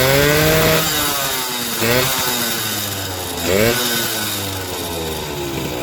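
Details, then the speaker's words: Suzuki RC two-stroke motorcycle after the carbon deposits were cleaned from the cylinder head: two quick blips rise cleanly and drop back to a steady buzzing idle. The engine revs freely, smooth, roaring and light on the throttle; normal two-stroke revving. "suaranya halus pernah e mesinnya halus dan suaranya bisa Meraung ya teman-teman dan gas-gasannya terasa enenteng"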